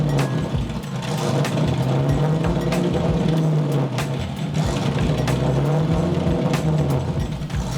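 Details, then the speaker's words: LS1 V8 swapped BMW E30 on jacks, warming up: low-rev drone with pitch wandering and uneven beat under light load, breaking up and needing feathered throttle; cause unclear. "as you guys can probably hear it's sort of breaking up and not really running that nice even just under a little bit of load down in the lower rev ranges"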